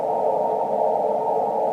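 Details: Ham radio receiving on the 10 MHz band with the CW filter in, November 29, 2013: a loud steady rushing hiss with no signals audible. Man-made noise near S8–S9 swamps the band.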